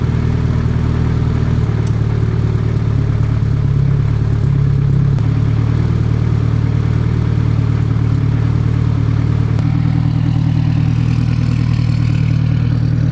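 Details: Nissan Cefiro with fully built Honda K24A2 swap and T56 Magnum, rebuilt after a rod went through the block, startup: smooth even low idle with steady deep hum, no knocks or misses; then 90 psi oil pressure, 119 coolant temp.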